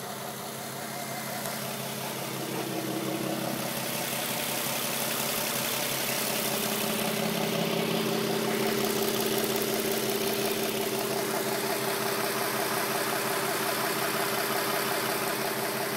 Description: My 07 350z has an odd sounding tick coming from the engine bay help!